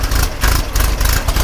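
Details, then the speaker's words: 1974 VW Super Beetle, freshly assembled engine with a big 110 cam, cold during break-in: uneven, bouncing, loping idle that rises and dips. Normal for the cam and smooths out once warm. "it's got to warm up. It's got that big 110 cam in it. Bounces around a lot. But once it gets warmed up, it smooths out."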